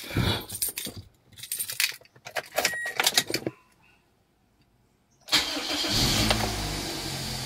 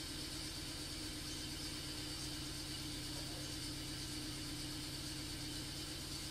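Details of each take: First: Toyota Altis after a new ignition coil and spark plugs fixed its misfire and rough idle; the engine cranks and settles into an even, steady idle with the aircon on and no misfire. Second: Toyota Altis with hesitation and rough idle. Earlier only one of its four ignition coils was replaced, and weeks or months later the problem returned. Quiet idle with an uneven, loping beat that dips now and then; one cylinder is misfiring, consistent with a failing coil.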